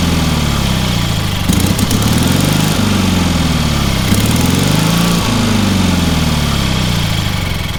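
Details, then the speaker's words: Long-stored trailer-mounted man lift engine, pressure-lubricated with oil filter, water in the oil and corroded intake: steady, even low drone holding speed with slight waver, no knocks or misses; runs amazingly well. "That thing runs amazingly well for what it is."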